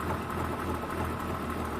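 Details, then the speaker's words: 1986 BMW 528e after sitting years, coolant temp sensor, O2 sensor, fuel pressure regulator, intake boot replaced and idle air valve cleaned: low idle with a slightly uneven, loping beat; rough idle, cause not pinned down. "this thing still sounds like Lopes a little like it doesn't run as smooth as my Corvette for example but I mean it's at least running now"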